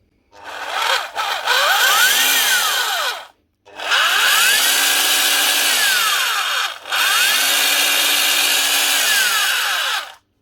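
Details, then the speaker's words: Old Metabo drill driving a handheld plastic extruder with a Leister heat gun: low speed is worn out, so it was switched to high speed. It spins in bursts with an uneven rising and sagging whine, running badly because the armature gears are worn. "at least runs badly because the gears in the Armature are still worn so it's not great but at least it works for a little while"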